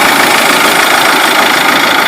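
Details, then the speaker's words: Mahindra Scorpio m-Hawk diesel idling after start with harsh clattery knock, vibration and misfire, intercooler shaking, light smoke; old injectors found jammed tight are blamed for knock and misfire. "Engine में खटखटाहट की आवाज आ रही है, जो इस engine में भी हो रही है।"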